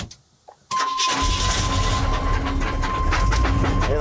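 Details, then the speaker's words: 1985 Chevy K10 with a 350 V8, unstarted for a year, catches and settles into a rough idle with a dull knock beneath; suspected torque converter or flex plate knock. "Hear that knock. It's like torque converter or flex plate or something."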